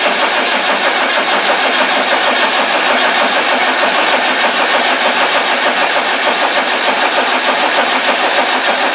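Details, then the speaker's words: Land Rover 300Tdi after head replacement and coolant refill, cranked with the fuel solenoid wire disconnected to prime the fuel system and circulate oil: even starter cranking, steady compression beats about three per second, no firing; normal crank without firing. "the idea is I'm going to crank it over without the fuel pump on and that will help to prime the fuel system not the injector pump with the fuel system itself"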